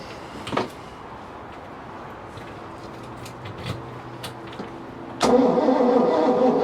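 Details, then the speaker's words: 1988 Bayliner Avanti 3250, 5.7 L Chevy 350 with OMC Cobra outdrive, sat 6+ years: steady cranking with no firing, no spark though the points open and close; points later found corroded with goop and burn marks. "no spark no sparky but it is opening and closing correct"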